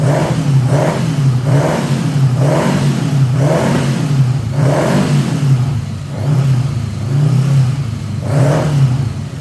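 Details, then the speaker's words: 1979 Honda GL1000 Goldwing after carburetor rebuild, running rough with heavy smoke; flat-four revving unevenly up and down about every second, lumpy exhaust burble; bad seals fouling the plugs suspected, not confirmed. "I don't know if the seals are bad are you guys catching this you're seeing all the smoke row out of this thing"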